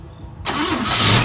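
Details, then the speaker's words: 1955 Chevy Bel Air after a tune-up with a new cap and plug wires rearranged to the correct firing order: quiet, then it catches instantly and builds to a strong, steady run without stumbling. Normal start. "Boom. Oh, there we go. It's like sweet victory right there."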